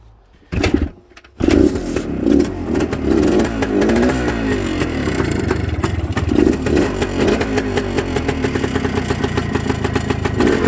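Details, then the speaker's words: 1974 Suzuki TS250 two-stroke, 9000 miles, sat 37 years, now with cleaned carb, new plug and aftermarket fuel valve, started on choke: kicks over and settles into a crisp ring-ding buzz with blips; runs cleanly. "now this bike has 9000 miles and by the way this bike is a two-stroke you're going to hear that right away here"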